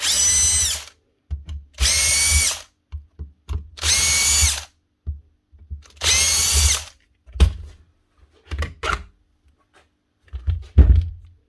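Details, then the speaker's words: Milwaukee M18 1/2-inch impact wrench (ONEFHIWF12 / 2863 model): four short bursts of strained motor noise with a harsh high buzz, then a few clunks; motor jammed solid in both directions and fails to turn; needs full strip-down, cause not confirmed. "Same thing. Jam solid. So is this. So she's jammed up both ways."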